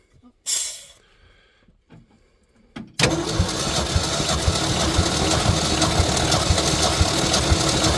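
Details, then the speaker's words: 1966 Ford F100 compression test: after a few short bumps starter spins steadily with an even beat; normal compression, about 125–130 psi on that cylinder. "Okay, stop. It's about 125, so that's pretty good then. That's better. This is kind of what I was hoping for."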